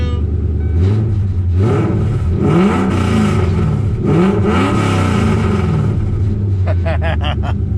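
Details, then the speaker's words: A Coyote-swapped Foxbody died in the burnout box. With a new hose on the 340 Aeromotive pump, it starts into a smooth idle and revs cleanly twice. Fuel pressure reads 60 psi, so it is fixed. "New hose installed. Let's see what's up. Probably not to cycle the pump. Aha! Sounds like she's supposed to."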